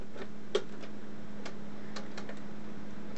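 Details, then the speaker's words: Possibly a 1920s–1930s Monroe Model KA High Speed Adding Calculator running a sum: low motor hum with sharp irregular clicks each turn and a loud snap, mechanism engaging and not fully releasing; it overshoots and gives extraneous digits, cause unknown. "but as you can hear it it's clicking every time turning over and oh now what what did it do because it's it's in it's engaging it's not releasing it all the way um"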